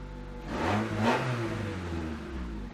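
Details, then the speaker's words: 1992 Honda Accord Wagon, 5-speed, started after sitting five years in a yard, on jack stands after adding fuel. Rough, blatty revs with a loud raspy exhaust rising and falling with throttle, likely from a large hole in the muffler. Loud rough-running exhaust. "and that's probably has a lot to do with the giant hole in the muffler"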